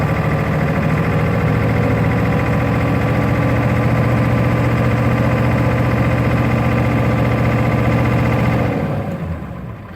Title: 1996 F350 7.3L rough idle